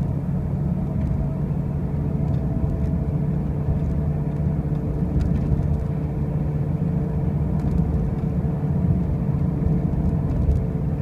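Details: 2005 Pontiac Grand Prix with brand new wheel bearings and new tires: a heavy low drone and rumble at steady speed, with no clear knock or grind; a loud droning noise while driving, cause unknown.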